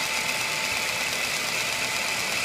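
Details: ESO 100 small centerless grinder (100 mm wheel), diamond dresser traversing the regulating wheel with the machine running: even, steady hiss with a thin high ringing tone, unchanged throughout; normal regulating wheel dressing.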